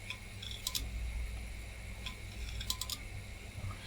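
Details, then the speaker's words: Old PC with M726 V3.4 motherboard (PC100 northbridge) and a 3.2 GB hard drive at power-up: quiet hum broken by sharp irregular clicks and ticks in clusters; drive sounds unhappy. "okay so the hard drive does not sound happy but this is obviously working"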